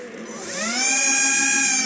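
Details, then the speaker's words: TXT1 gearbox, partially disassembled: smooth whine spools up and holds steady at high pitch, no clicks, grinding or rattle; no abnormality. "異常ないですよね。"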